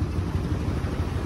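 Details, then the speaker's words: 1972 Ford F100 estate-sale find, now moving under its own power: low, even V8 burble at idle, steady rhythm, no misses or ticking; smooth normal idle. "and i've got it running right now i mean you can hear how smooth this thing runs it's crazy"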